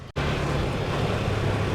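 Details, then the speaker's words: Yamaha R15 V4 on test ride after replacing a clogged fuel filter (dealer had blamed the fuel pump) that caused stalling every few kilometres: engine pulls steady and smooth under wind rush, no cutting out. "देखो बिल्कुल भी बंद नहीं हो रही गाड़ी। ठीक है? बहुत ही अच्छी है। बहुत ही स्मूथ चल रही है।"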